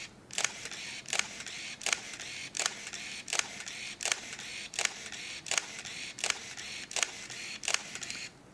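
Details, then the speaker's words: Nikon F301 35mm SLR shooting frames with the counter counting down: crisp shutter snap with a short motor whir after each frame, about one every three-quarters of a second, even and clean; normal shutter and film advance. "So every time I shoot, it's rewinding it back into the film canister."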